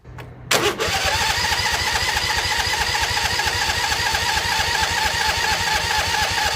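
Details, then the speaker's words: Husqvarna YTH2148 lawn tractor, Briggs & Stratton Vanguard V-twin: fast, even cranking that never catches. Blowing through the tank and line gets no fuel through and the carb stays dry. Owner suspects the fuel pump. Cranks but won't start. "difference no nothing get any fuel in there no it's dry as a bone"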